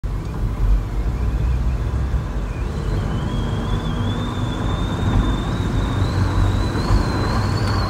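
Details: Volkswagen Caddy at road speed: thin high whistle rising in pitch over heavy road rumble, wind whistling past the door mirror, blamed on bad mirror design.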